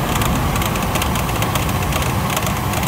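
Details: 24-year-old Chevrolet Astro camper, engine idling with A/C on: fine, irregular clatter over a steady idle, worsening with revs; worn fan belt tensioner and idler pulley, fixed by replacing belt, tensioner and pulley.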